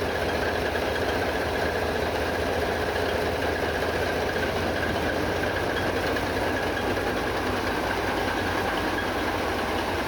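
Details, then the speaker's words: MV Steve Irwin ship's main marine diesels both running after years dormant, governor controlling RPM, good oil pressure, seawater cooling commissioned: steady even idle with constant low drumming, no knocks or hunting; healthy. "well both startups have gone quite well both main engines are running now"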